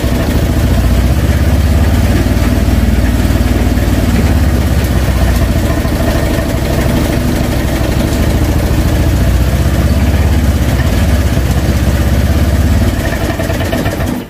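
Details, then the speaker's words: Honda Vario Techno 125 scooter, just started, idle valve closing; low uneven idle sagging and faltering to about 2 on gauge as if about to stall; idle too weak. "Oke, ini agak melemah sudah, di ACT-nya nutup. Nah, sepertinya mau sinjal, mau mati juga nih. Nah, dia turun ya di 2, sambil kita gas."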